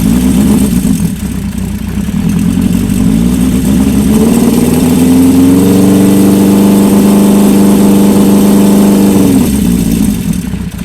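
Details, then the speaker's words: Old Honda bike (CB550 or CB400F) after resetting the timing chain tensioner and syncing carbs: idles, revs up smoothly, holds a steady higher speed and drops back cleanly without misses or rattles; sounds healthy. "Alright, reset the timing chain tensioner and sync the carbs up. Just let the float bowls fill up the fuel and see what she sounds like."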